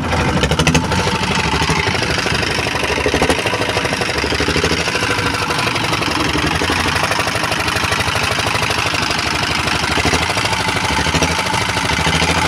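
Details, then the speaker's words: Diesel R-180 after valve cleaning and reassembly with fresh oil, previously hard to start, smoky, with hunting speed: now steady, even thump, no misses or hunting; normal smooth stable idle. "Oke sobat diesel Sudah beberapa kali kita hidupkan tadi ya jadi mesinnya ini sudah enak hidupnya kemudian asapnya pun juga"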